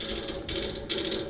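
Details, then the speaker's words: Outdoor AC unit with fan not running, after fan motor replaced: rapid steady ratcheting clicks with metallic bursts from inside, like trying to crank something; stops when fan starts, source unclear. "this sound will continue until the fan comes on and it stops it's not coming from here it's coming from inside it's like it's trying to crank on something"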